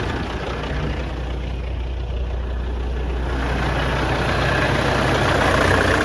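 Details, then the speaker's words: CAT C15 MXS truck diesel on its test run right after replacing the internal injector wiring harness, valve covers off. It idles steady and smooth, with no misses or knocks. Normal idle. "it's actually running really smooth right now I mean you can barely hear it over the low air buzzer"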